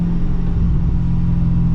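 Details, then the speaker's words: Pontiac GTO rolling off throttle after driveline work; carrier bearing still worn, causing vibration near 2,000 rpm: low smooth road rumble with no clunk or bang; the former lift-off clunk is gone. "Yeah, so a lot of the clunk of like when you let off the throttle is gone. I was kind of expecting that it was going to be the diff mount, but it is nice to actually feel some difference."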